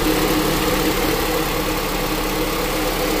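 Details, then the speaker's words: 2007 Honda Accord LX 2.4L with AC not working, after new relays installed and during AC recharge: radiator fans kick on with steady even rush of air over smooth idle, no rattle; normal fan operation. "oh there we go look everything turned on our fans kicked on like they're supposed to"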